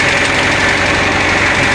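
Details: Renault Trafic after an oil change with 20W50 agricultural oil: steady, even idle at the current setting with no knocks, misses or surging. The earlier burning noise is no longer heard; if it returns, that would mean a problem.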